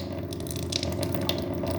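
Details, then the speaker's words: SimPure Q3-600 UV under-sink reverse osmosis system, first switch-on after install: pump starts with busy ratcheting rattle, gurgling water and air spits during the expected few-second delay as water runs through filters and pushes air out: normal startup, purging air. "I can hear things happening. There is supposed to be a few second delay as it starts to run the water through your filters"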